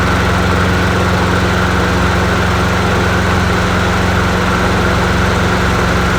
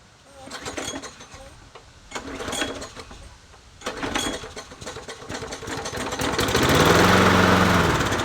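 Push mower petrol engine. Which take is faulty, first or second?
second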